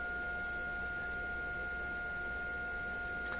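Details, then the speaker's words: Florida AM/FM/SW tube radio on low voltage with a swept test tone, receiver volume still low: a steady, pure mid-pitched tone holds even with no break-up. The audio output is clean with no distortion. "so let's sweep the frequencies up and down just to see you know it sounds really good actually I don't hear any problem"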